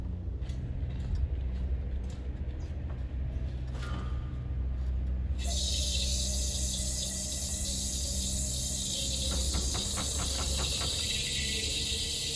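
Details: Refilling a 1 lb propane bottle from a larger tank after purging air: sudden steady even hiss as the valve opens, gas flowing freely in; normal fill, repeated five or six times, shaking sometimes helps.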